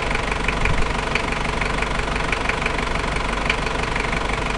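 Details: Toyota 1KZ-T diesel engine, described as a new engine that makes noise: a loud, rough idle with a sharp ticking knock about three times a second over the clatter. Engine knocking at idle, cause not yet pinned down.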